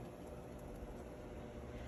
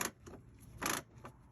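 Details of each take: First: Whirlpool commercial/Maytag washer after replacing worn, stripped clutch that caused grinding between wash and spin: low, even motor hum with soft steady churn, no grinding or knocking; agitating normally. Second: Whirlpool/Maytag commercial top-load washer shifting from agitate to spin: uneven bursts of dry clattering rasp as the stripped clutch slips before the basket spins; fix is replacing the clutch.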